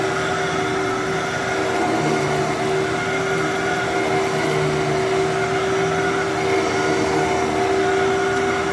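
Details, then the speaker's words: Fantom Thunder vacuum that was expected to run poorly: steady, even motor hum with clean constant pitch, no grinding or surging; normal vacuum motor run. "Wow. Okay. For some reason, I thought that was going to sound way worse than it did than it than it does."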